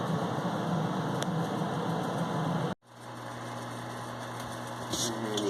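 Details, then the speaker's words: St. Croix Prescott pellet stove, off-season test run in late July 2018, after switch-on purge: steady fan rush drops out, then low even hum with faint pellet drops on low setting; running normally. "So you hear the fan going right now. So that's taking all the air inside the stove and flushing it out with fresh air."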